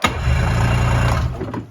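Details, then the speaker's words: 2001 Yamaha Venture snowmobile after cylinder repair and carb cleaning, key electric start with maybe half choke: short starter whir, engine catches with low even burble before dying away; normal electric start. "Yeah. Electric start though. It's just the key."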